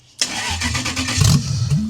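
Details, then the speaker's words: Racecar on its first start attempt after being rewired by hand with a fresh ECU: the starter churns for under two seconds with a few uneven pops but it doesn't catch; the ECU is not yet tuned. "It's probably not gonna start right off the bat because the ECU has absolutely no idea what it's doing."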